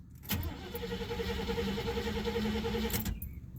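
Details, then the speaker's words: Oldsmobile after an intake manifold update, starter noisy and possibly failing: cranks about three seconds, fires a couple of times, then dies. Owner suspects not enough fuel reaching the carb and plans a fuel pump. "i think it's not getting enough fuel because giving it more gas wouldn't cause it to uh fire off a couple times like that"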